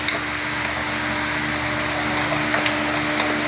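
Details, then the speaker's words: Solfili fuel pump assembly just installed, key on, engine off: steady low electric hum with light clicks as the pump primes normally, pressure reaching about 4.5. "So, tignan natin ngayon kung ilan na magiging pressure niya sa pag-on pa lang ng susi."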